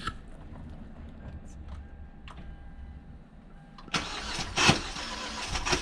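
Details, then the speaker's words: Cranking with a quiet stretch, then harsh grinding bursts and an uneven, lurching rhythm; starter suspected, possibly a bad spot on the flywheel, cause of the uneven crank unclear. "Well, that sounded terrible. I think that's the starter, but I don't know why the crank's so uneven. And why it's grinding half the time."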